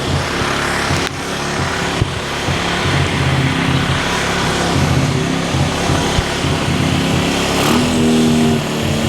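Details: Cheap quad bike ATV revived with new wiring loom, cleaned carburettor, new spark plug, CDI, regulator, battery and clutch, jump-started and warming up: uneven but continuous putter with louder blips, music in background. Normal running.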